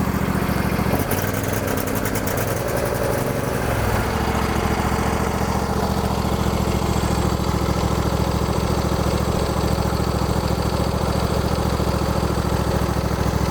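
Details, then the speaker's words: Lawn tractor after replacing a rotted quarter-inch fuel line from the rear tank: engine catches at once on carburetor fuel, stumbles briefly, then settles into a steady, even low idle; runs fine. "so it runs good now some of you guys might be wondering why did the machine start right away even though you had the fuel line disconnected well that's because there was still some gas left in the carburetor"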